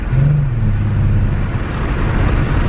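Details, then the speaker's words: Mercedes-Benz C300 W204 being driven with a flashing check engine light: an uneven, lumpy low drone, and the engine is reluctant to rev, shifts early and feels slow. Misfire under load. "check engine light is blinky alright I don't like [ __ ] boy I don't like stuff in my pockets when I Drive like keeping it old still sounds like a Suvi"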